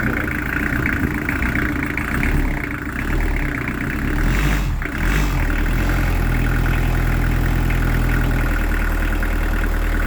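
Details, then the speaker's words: Newly fitted Beta Marine diesel in a narrowboat, first start after installation. Steady, even low chug with no knocks or misses; sounds quiet and lovely; normal idle. "there sorry s sounds lovely that sounds really good it sounds a lot quiet"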